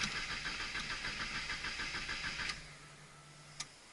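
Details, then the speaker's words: Car after sitting with a nearly empty tank, fresh fuel, new fuel filter, new spark plugs, good battery, working pump: starter churns about three beats a second but engine never catches; no-start traced to fuel injectors. "that would be the injectors so immediately I tear into it"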